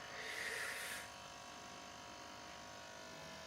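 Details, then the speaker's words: Nissan QG18DE automatic: a continuous electrical buzz from the transmission area with ignition on and engine off; it stops when the throttle position sensor is disconnected, and with the engine running it is heard only in D, 2 and 1, not P, N or R; cause unconfirmed. "Brother यहाँ से बजिंग की आवाज़ आ रही है जो आप सुन रहे हैं कंटिन्यूस ना, ब्रर की, ये ट्रांसमिशन साइट से आ"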